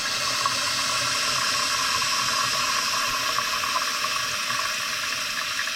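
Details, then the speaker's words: Running toilet, float set too high: steady hissing rush of the tank refilling that keeps seeping instead of shutting off cleanly, water rising too close to the top of the fill valve; needs tighter adjustment. "That is still coming up, just in my opinion, a little bit too far. You can still hear that it's seeping just a little bit. It needs to be a little tighter."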